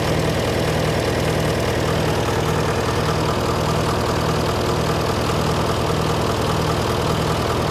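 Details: John Deere 401C diesel idling in neutral, with a cracked block and suspected liner O-ring leaks. Uneven, lumpy beat about 100 a minute. By touch, cylinders 1–3 are hot but 4 is stone cold: a dead cylinder misfire.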